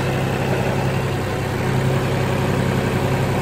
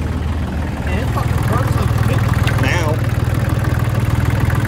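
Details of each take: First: 2003 New Holland TC29D compact tractor diesel, after sitting three years, now serviced with new oil, oil and fuel filters, hydraulic hoses and fluids; even steady idle clatter, no misfires, knocks or hunting, good temperature; healthy idle. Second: 2003 New Holland TC29D compact tractor diesel, first run after sitting three years, new battery; lumpy idle clatter with uneven hunting beat under a steady knock; running rough.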